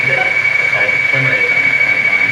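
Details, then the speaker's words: Blaupunkt car radio from an abandoned Mk3 Ford Cortina, powered up with a hand touching the antenna: steady high whistle over warbling, bleeping electronic tones while tuning; likely picked-up electrical interference, not confirmed. "Wow! Can you hear them crazy computer noises?"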